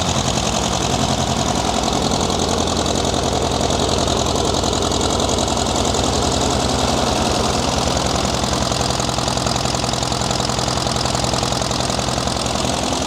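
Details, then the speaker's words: Worn-out diesel tractor engine that breathes heavy and blows oil. It runs on only three cylinders at idle but fine when working. Lumpy idle at about three to four pulses a second with one cylinder dropping out; misfire. "It runs on only three cylinders if it's idling. If it's working, it runs fine."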